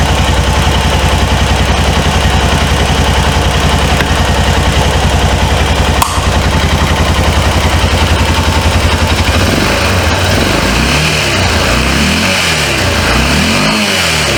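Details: 2005 Honda Rincon 650 (TRX650FA), abandoned for supposed carburetor issues and run off a booster pack due to a weak battery: a steady idle that rises and falls smoothly through throttle blips with no knocking or misses; it runs healthy.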